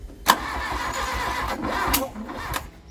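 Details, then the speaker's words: Long-stored Mk1 VW Golf cranked with the plugs out after fuel was poured into the head: it turns over slowly and unevenly with heavy hits, as if locking up. The owners suspect fuel hydrolocking the cylinders, though the plugs look dry. "it's turning over and now it sounds like it's kind of locking up so we're wondering if we've filled the cylinders with fuel"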